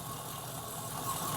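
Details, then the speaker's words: Mk2 Triumph Stag V8, ignition timing set to 12 degrees on timing light, pointers at 0: short burst of steady, even idle, low rumble, no misses or knocks; idling significantly better already. "So that is now set at 0 on the pointers. Actually, the car is idling significantly better already."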